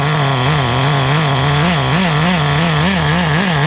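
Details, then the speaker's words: Restored vintage Team Associated TC3 nitro engine, no fuel tank bubbling: a high, buzzy idle with a slight rhythmic pitch waver that holds at full brake without stalling. The tune is adequate, though the motor runs a little warm. "So at full brake, let's see. Does it shut off? No. So it holds an idle okay."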